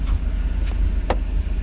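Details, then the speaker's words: 1991 Mercedes 500SL, 39,000 miles, warm idle at about 85 on the temperature gauge for a recurring high idle despite two new idle control valves: low, steady rumble with a few light clicks; normal warm idle. "But I got it about the 85 mark. It sounds pretty good."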